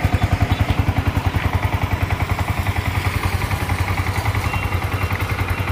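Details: Yamaha R15 V2 motorcycle after engine seizure repaired, crankshaft fixed and engine reassembled: steady, even single-cylinder thump at roughly three and a half pulses a second, no knocks or rattles; normal idle.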